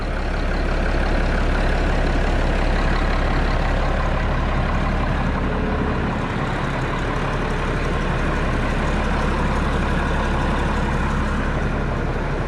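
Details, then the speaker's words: Road grader diesel after starting problem work and accessories installed, evening start, an alarm went out, charging 14 volts: deep steady idle, even low beat, no knocks or misses; normal idle. "oh she sounds sweet oh she just sounds sweet"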